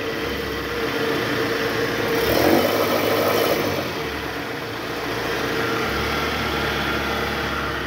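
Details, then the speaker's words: High-mileage Toyota Harrier, engine running with AC on, in R and revved around 1000 rpm: a low, rough growl from the worn original belt tensioner, which vibrates because its spring is weak; the tensioner and a loose balancer shaft were replaced. "Oke Guys jadi tadi kita udah konfirmasi itu ada suara dari Tensioner bunyi ngorok gitu pas masuk R terus digas itu tensionernya geter dan bunyi ngorok akibat Eh pegasnya udah lemah"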